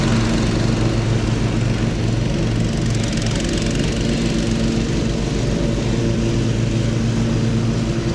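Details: Husqvarna HU 625HWT four-stroke string trimmer, a non-runner, started after repair work: steady, even buzzing drone with no misses or knocks; sounds healthy.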